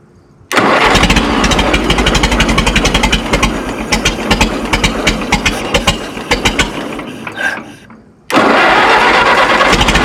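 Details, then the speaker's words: Minneapolis Moline Z tractor after carburetor idle screw was turned the wrong way, making it slower: catches and settles into a slow, uneven idle with loose chugging, fades and restarts; idle speed too low. "I think I made it slower. I turned it the wrong way."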